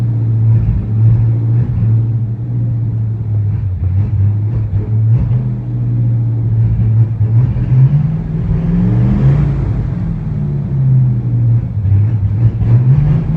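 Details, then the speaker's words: 1969 Chevy C10, non-original mildly cammed 283 V8 with Unilite ignition and Saginaw 4-speed, sat 20 years, driving: a deep, steady rumble, pulling smoothly with no misses, knocks or rattles. "I got the engine dialed in, I think, with the correct timing and ignition timing and carburetor adjustment, I hope. We've had some trouble with it stalling and stuff, but it sounds good right now."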